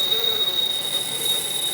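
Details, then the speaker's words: RC crawler with a Holmes Hobbies Revolver 540 motor on 3S, geared low, running up to full throttle: a quiet, steady, thin whine with a mild metallic spool sound, gears louder than the motor; running normally. "it has a very very mild metallic sound to it it just sounds like the beginning of a turbo spooling up and it doesn't get much louder than that as I increase you can hear the gear ears more than you can hear the [Music] [Applause] motor"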